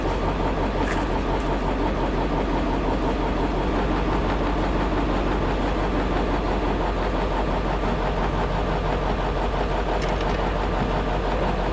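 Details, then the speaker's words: 1956 Studebaker Golden Hawk, manual clutch, first start after sitting with fuel added; somewhat uneven low burble settling to a steady idle on all cylinders, no knocking; owner plans compression tests: normal idle. "She runs. That's about it."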